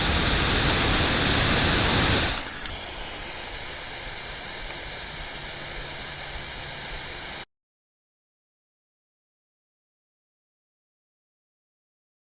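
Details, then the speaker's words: Steam Deck at 15 watts under game load, after electrical tape was added to quiet its whining fan. Steady soft airy whoosh with no high-pitched tone; normal fan airflow noise. "I don't know if you can hear it on camera, but I'm not hearing a whine. I'm hearing a whoosh. It's a whooshing sound."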